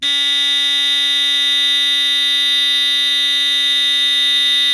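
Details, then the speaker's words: GE Home Sentry 8201-201 smoke detector test: its black mechanical buzzer gives a loud, continuous, shrill single-pitch buzz, enough to get attention. The alarm works, though it also chirps from low voltage. "pretty loud it's pretty loud definitely it's definitely enough to get your attention"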